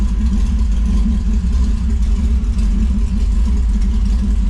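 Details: TVR Cerbera running after new clutch install and Tilton slave cylinder seal replacement, throttle position sensors set to about 15%, clutch not yet bled: steady, lumpy but even low rumble, no knocks or ticks; normal running.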